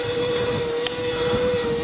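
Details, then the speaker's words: Macwheel Cruiser 550 budget e-bike with geared hub motor, riding at about 10 mph with little pedal input: a loud buzzy rattle over a steady mid-pitched motor hum, caused by the loose rear mudguard vibrating against the frame. "that is just the mud guard making that noise is absolutely horrible"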